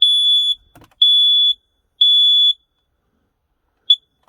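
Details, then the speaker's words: Carbon monoxide alarm sounding in a self-built VW Crafter campervan during a battery install: shrill half-second beeps about once a second, then a chirp. No smoke found; owner suspects a low alarm battery, in place about 18 months. "so we'll silence it for now there's no signs of smoking we're going in the van um so i've got no concerns that way i think this is probably a low battery in all honesty"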